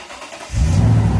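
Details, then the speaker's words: Toyota Tundra with a cold-weather no-start or slow-crank problem after sitting a couple of weeks at upper 40s to low 50s °F; owner says a battery is likely needed. Now a brief quick crank, immediate catch and a strong, even run. "It's a lot harder to turn over a cold engine in cold temps. Here, I'll just show you. She is starting up real nice now."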